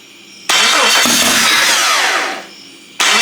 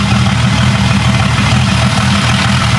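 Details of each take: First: Jeep 5.0 stroker during pushrod/lifter fix: starter whirs, engine catches into uneven, stumbling idle; exhaust temperatures show the middle cylinder at 220–230 versus 400, not firing. Misfire on one cylinder. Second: Jeep 5.0 stroker build (stage cam, stroker, different compression) with longer pushrods, running through cam break-in: Steady, even, low idle rumble with no ticking or tapping; valvetrain sounds healthy.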